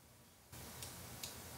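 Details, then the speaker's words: Kaiweets KTI-W01 handheld thermal imaging camera: three crisp, light clicks about 0.4 s apart over a faint hiss as the internal shutter closes for autocalibration, briefly freezing the image; normal, not a defect. "this click when you hear that click there is a shutter inside of the camera for autocalibration so for a fraction of second the shutter will blind the camera and when you hear that click you'll see the image freezes it's not a problem this is the way that this system is working"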